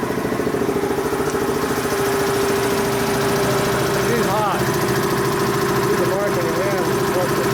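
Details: Dayton 240V 7-1/2hp shop air compressor, after motor, reed and capacitor repair, under pressure-switch adjustment: steady motor drone with a fast even pump pulse holding under load, cut in near 132 psi and building toward about 157–160 psi cut-out.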